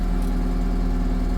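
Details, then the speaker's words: 1988 Atlas 1404 M excavator diesel, about 11,000 hours, after topping up hydraulic oil and adding alcohol to the air system: a deep, even idle with a steady low thrum, all cylinders firing, no misses. The owner notes a puzzling hydraulic oil level and an oil leak. "Well, she doesn't sound bad, but I've noticed that"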